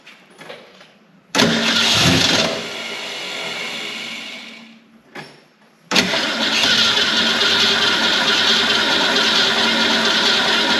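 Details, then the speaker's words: 1970 Ford Torino GT off road since 1992, previously locked engine, carburetor refilled and transmission line plugged: cranks in long bursts, briefly catches and roars, then dies back to cranking; not getting fuel, suspected. "Not getting fuel."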